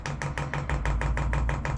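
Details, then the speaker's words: Chinese diesel air heater kit being fitted to an overland trailer: quick, even ticking about six per second over a low hum as the dosing pump primes, tone changing as diesel reaches it; pump angle still to be adjusted; normal priming. "we will adjust all that later on it's not the exact size that some people say it is the other tone changing as the diesel comes in"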